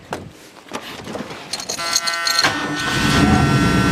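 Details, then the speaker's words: Car with brand new carburetor and a makeshift fuel pump feeding fresh fuel: short crank, then catches and builds to a smooth, rising run with no misses or knocks; running fine. "Seems to be working good. Hopefully it's not pumping too much fuel in there."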